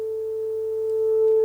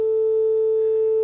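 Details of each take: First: Telefunken Operette 6 radio, Bluetooth module added during restoration: 400 Hz test tone played via Bluetooth; with two pins shorted on the board, the left-channel distortion is gone, leaving a steady, pure tone with no crackle or buzz. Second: Telefunken Operette 6 tube radio with an added Bluetooth module playing a 400 Hz test tone, audible only on the left channel. Harsh, buzzy distortion from stereo-to-mono wiring, which disappears when the two pins on the module are shorted.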